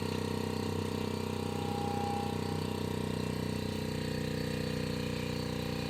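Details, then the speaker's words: On-board air compressor (100% duty cycle at 100 PSI) for an off-road Ford F-150, on the battery drawing about 23 A: steady motor hum with soft even pumping near four strokes a second, sluggish; pressure rising slowly; low supply voltage. "It's definitely going up. It's not in a huge hurry, but it's going up."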